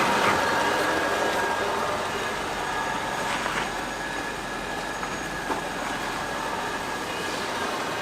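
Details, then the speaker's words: Volvo XC90 V8 after the repair: steady road and tyre rumble with no creak over bumps. The front-left creak from a poorly repaired, cracked body joint (wheel-arch bracket, chassis rail, radiator support) is gone after bending the metal to relieve stress. "Я отогнул немного это место, где сходится металл, убрав напряжение. Скрип пропал!"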